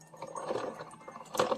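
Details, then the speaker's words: Hamilton Beach FlexBrew Trio 2-way coffee maker on a 14 oz brew with a full reservoir: irregular gurgles and rattly bursts, something rattling inside, flow reduced to a drip or trickle; machine not working, cause unclear. "You hear all that noise? Sounds like something's rattling in there, which is not normal. Just so far now it's reduced to a drip and then we get this again."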